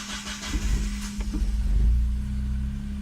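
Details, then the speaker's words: Megasquirt-tuned car with custom headers, exhaust leak near O2 sensor fixed, during idle tuning: starter churns a bit long before catching and rising, then a slight stumble; crank still long with hesitation, better than before, fueling being adjusted. "Okay. So crank is a little bit long still, and we've got still that little hesitation. It's better than it was, but it's still there."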